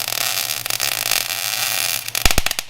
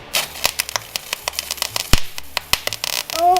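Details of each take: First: MIG welding at the right stick-out: steady fine crackle like frying bacon with a few sharper pops near the end; popping means too much wire stick-out. Arc sounds correct. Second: MIG welder, first-time welder practicing on scrap: irregular crackling pops and sharp snaps instead of steady frying hiss, arc sputtering badly; poor ground suspected, not confirmed.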